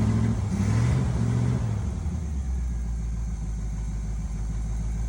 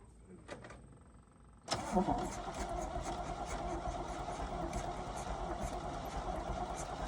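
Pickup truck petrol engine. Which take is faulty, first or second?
second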